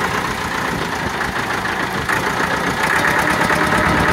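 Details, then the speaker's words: Massey Ferguson 275 with Perkins diesel, first start after sitting and a new starter: rough, uneven clatter with one cylinder missing, white smoke, belt noise when revved; owner suspects an injector or fuel starvation on one cylinder. "it's missing right there you can hear that Miss yeah what's up another tractor with a miss sounding rough"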